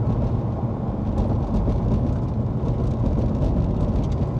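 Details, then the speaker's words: Car on stock suspension bushings, driven over road markers before bushing upgrade; steady road rumble with soft thumps as the tyres cross, no clicking or clunking. "that's what it sounds like going over the little markers."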